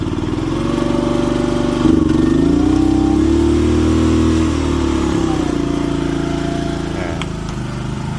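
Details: Old Japanese-import Komatsu PC01 (PT01-1a) mini excavator with a four-stroke petrol engine, 1,116 hours. It picks up smoothly from idle to a steady rev and settles back, with a clean, even note and no knocks or misses; healthy revving.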